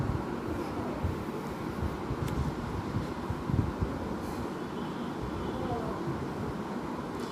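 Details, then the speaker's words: Microwave oven in micro mode after repairing a noise problem: steady low fan hum with no scraping, ticking or rattling; running normally. "देखिए दोस्तों fan on हो गया। Microwave हमारा on हो गया और इसमें किसी भी प्रकार का कोई साउंड नहीं आ रहा।"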